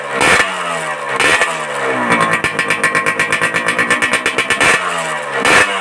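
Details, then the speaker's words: Suzuki Satria 2-stroke with a local aftermarket racing muffler, before glasswool packing is added. Sharp revving blips carry a thin, rattly, can-like ring: the under-packed muffler sounds tinny rather than crisp. "Menurut pendengaran saya ini suaranya kurang gemercing ya, agak cempreng sedikit, bukan sedikit ya, agak banyak cempreng kayak suara kaleng-kaleng."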